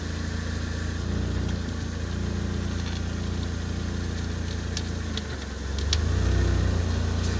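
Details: Ford Focus ST170 at idle: a low groaning whine, which the owner calls a squeak, rises each time the steering wheel reaches full lock; power steering pump noise, cause unconfirmed.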